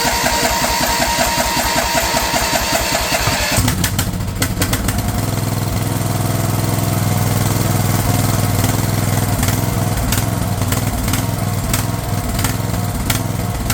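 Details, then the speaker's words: Craftsman LT1000 riding mower/tractor, fed gas of uncertain freshness, starts rough then settles into a steady, even beat with no misses or surging; running smoothly after the fuel solenoid was found cut off. "running pretty good now. I'm not sure how fresh that gas is, but I don't think that'd be a problem here."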